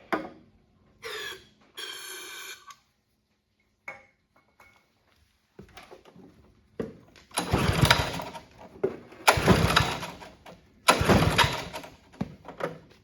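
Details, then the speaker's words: Honda HRB215 push mower stored for years, on choke with starting fluid before carb cleaning: catches in ragged one-to-two-second bursts then dies each time; fuel starvation from plugged carburettor jet. "doesn't sound too good much starting fluid left but there's some"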